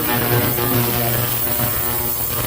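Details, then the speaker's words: Heated parts cleaner set to about 15 minutes, cleaning a dirty carburetor from a Craftsman mower in Simple Green and hot water; steady low electrical hum with a faint buzz; normal operation. "Turn it on. It turns on. You set it to your timer. I have it set for about 15 minutes."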